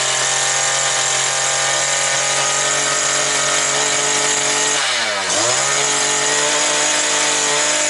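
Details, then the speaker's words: New two-stroke brush cutter that would not start, now running at about 9400 rpm. Steady high-pitched scream, brief dip off throttle and clean recovery: normal full-speed running. "Так, 9400 накрутила, а ми її ще 400 додамо або 300. Трошки ще веселіше ж хай піде і все буде добре. Так що вроде працює, правда?"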